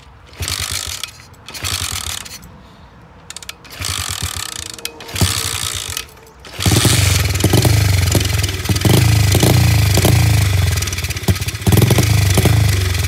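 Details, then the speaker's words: SSR 70 pit bike, given starting fluid and kicked: short kick-over bursts, then fast uneven low thump that almost catches but won't settle; nearly firing. "All right, she sounds like she wants to go."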